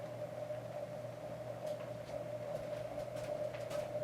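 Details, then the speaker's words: Antique GE top-mount ceiling fan model 44986 on low, drawing about 2.15 amps while spinning up: steady motor hum with a high ringing tone and light ticks from a noisy motor bearing needing replacement. "You can hear the bearing is noisy. Bearing in it is is noisy."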